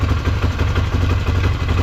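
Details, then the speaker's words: Polaris Sportsman 500 ATV after new battery and replacement carburetor installed: deep, steady, evenly paced single-cylinder idle with no hunting or sputter and no fuel leaking; runs normally. "all right it sounds pretty good and certainly not leaking any fuel so might have to go with the Chinese carb"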